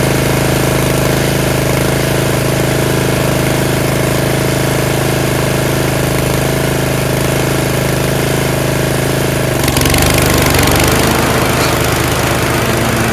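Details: Yard Machines 13.5 HP Tecumseh 38" riding mower, after fixing slow cranking: single-cylinder engine idles continuously with loud, even beat, no misses or knocks; running normally.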